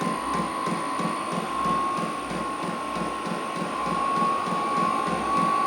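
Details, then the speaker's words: Vevor 8 kW diesel heater starting in a 600 sq ft shop: steady whirring blower picking up speed with soft rapid regular ticking of the fuel pump after a priming phase, air still cold; normal start-up. "I hear picking up speed it's getting faster so I guess I had to go through like a priming phase"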